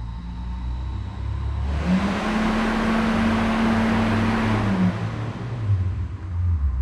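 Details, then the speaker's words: K20-swapped DC2 Integra racecar, first power-up via PDM: fan switched on spins up to a steady whoosh with even hum, no rattles, then winds down; fan healthy. "hopefully you could hear that fan uh turn the fuel pumps on [Music] manually"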